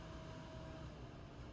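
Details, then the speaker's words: Blu-ray drive in an old gaming PC, dented top bent back by hand, still running loud after the attempted fix though slightly quieter: low steady buzz with faint hum from the optical drive. "But it is a little quieter, strangely enough. All right. You can hear that buzzing, right? That's from the Blu-ray drive."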